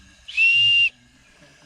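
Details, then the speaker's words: Ford Transit 2.4 TDCi PHFA diesel, number one cylinder misfire, leakdown test at about 6.5 bar with ~15% leak: sharp high whistle at the inlet port as air escapes past a leaking inlet valve. "come over to this one we've got leaky valve leaky inlet valve"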